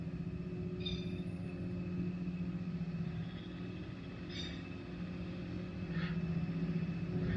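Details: Electric trolling motor run at about setting six or seven, nut-loosened end cap being rotated: steady low hum whose pitch sags slightly as the cap moves off position; the cap is tuned to a sweet spot and locked.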